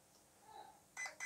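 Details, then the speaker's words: RC car ESC programmed without a program card, button held on power-up: short bright beeps about a fifth of a second apart counting menu items toward item three, low-voltage cutoff. "two beats three beeps okay and i let go three beeps and then i'll let go because that's what we want to change low voltage cut off um item"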